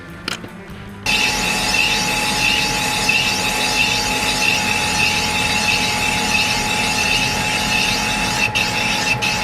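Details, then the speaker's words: Boring a big-bore stroker 277 cylinder: steady boring-bar hum with a fine rhythmic chatter where the cutter breaks through the ports, an interrupted cut. "you can hear the started getting interrupted"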